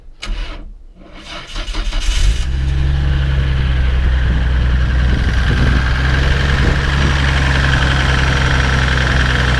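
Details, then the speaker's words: 1996 Nissan Skyline R33 GTR Nismo 400R, neglected RB-X GT2 engine, at auction inspection: cranks and catches, then heavy lumpy low rumble with uneven beat like a Massey Ferguson tractor; rough idle, sounds terrible. "Just um sounds like a massive Ferguson tractor to me. Anyway, sounds terrible."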